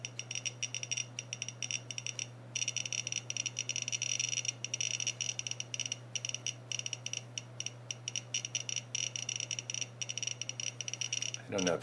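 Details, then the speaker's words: Small handheld Geiger counter held at a radioactive lens from the Tiny Ike iconoscope TV camera project: a rapid, uneven crackle of sharp clicks over a steady low hum. Geiger counter crackling from the radioactive lens. "hear it crackling away I know it wants to bite me"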